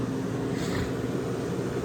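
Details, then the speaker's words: Vintage Westinghouse 10,000 BTU window A/C; low even hum with faint steady tone, no rattles or knocks; works pretty well, normal running. "i got a pretty good deal on it and it works pretty well"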